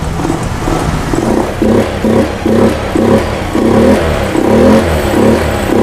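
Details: Honda Scoopy fuel-injected scooter that previously refused throttle, coughing and dying: after repair, repeated sharp throttle blips rise cleanly and drop back to idle without bogging or stalling. Normal revving.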